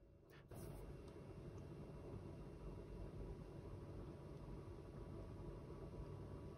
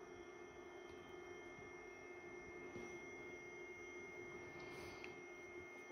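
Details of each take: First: HP ProCurve 1800-24G J9028A switch after swapping the original ball-bearing fan for a Noctua NF-A4x20, before fitting the low-noise adapter: low, steady whir with a faint even hum, no rattle or buzz; much quieter than before. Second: HP ProCurve 1800-24G J9028A switch with its original 40mm ball-bearing fan (TA150DC), before the swap to a Noctua NF-A4x20: a steady, high, thin whine over a soft airy hiss; not loud but annoying.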